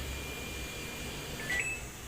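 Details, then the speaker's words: Samsung single-tub washing machine after repair of power wires chewed through by rats: quiet room hum, then a single short clear high beep on button press; the control panel is powered and responding normally. "หลังจากที่ผมซ่อมเสร็จเรียบร้อยนะครับก็ตอนนี้ก็ใช้งานได้ปกตินะครับอ่ะก็กดปุ่มอะไรก็ขึ้นหมดนะครับ"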